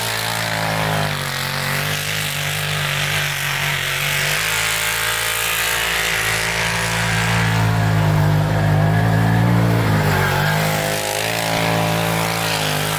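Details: 2012 Arctic Cat Wildcat 1000 side-by-side drifting and doing donuts in snow: strong smooth engine note rising and falling with throttle through hard revving, no knocks or misses; normal running under load.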